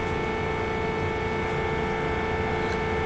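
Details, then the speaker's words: Whirlpool dryer with door switch jumpered: motor now spins but sounds labored, steady strained hum with fixed tone; something suspected caught around blower wheel, cleared from behind dryer, then ran well. "so now I can hear it it's definitely working sounds a little bit labored but it's spinning so that did help"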